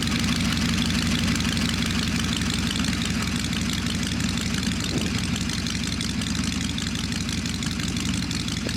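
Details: V-twin "little 81" at idle after a clean-up and tune-up, slightly low and loping but even, no ticking or rattle; owner says it sounds smooth and quiet, may turn idle up a bit: normal idle.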